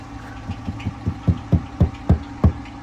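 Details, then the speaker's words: Ford Crown Victoria ex-Indianapolis police car at idle, hood open: hollow, unevenly spaced knocks that grow louder over a few seconds above a low steady idle. Judged a bad, worn camshaft. "Can you hear it? That is a bad cam."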